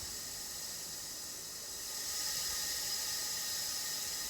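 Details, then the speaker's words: Porsche 911 3.2L engine during leak-down test, cylinder two pressurized, mic at crankcase breather outlet: steady hiss of air; compression leaking past piston rings, blow-by. "you hear the air coming right out of the crank case which means there's a little bit of air getting past the rings on number two"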